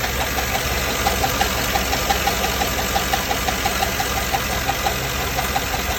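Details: GM 6.2L L94 V8 after cam swap, idling: sharp regular tick around ninety a minute keeping time with the cam, damaged roller lifter riding its lobe; caused by cheap non-OEM lifter trays letting lifters twist above 4500 rpm.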